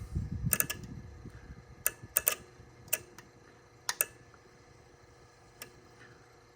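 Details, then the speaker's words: Drake L4B linear amplifier with ES4L-4B-v1.0 soft-start board, on 110 volts, keyed by grounding the wire at the box connection: crisp single and double clicks at irregular intervals as it keys; normal antenna relay click. "the long and short is I should ground this wire on the box connection and you click and it does antenna"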